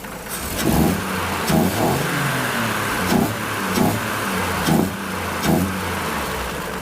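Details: 1950 Chevy truck stovebolt six after tune-up (new gaskets, plugs, valve adjustment), throttle blipped to check heat riser: repeated short blips rise and fall cleanly, no ticking or exhaust puffing; heat riser works, engine healthy.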